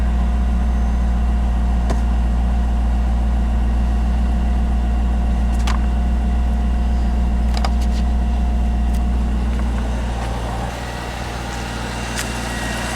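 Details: 1998 Corvette C5 first start after harmonic balancer replacement, engine not run for a while, just started and still cold: smooth even low idle, steady beat, no knocks or rattles; healthy.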